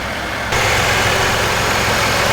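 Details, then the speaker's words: Jeep after power steering pump replacement and serpentine belt refit: steady, even idle with smooth low hum, no knocks, ticks or whine; normal idle. "make sure the belt and pulley around nice well sounds good so far run it through its paces a couple more times and we should be all set"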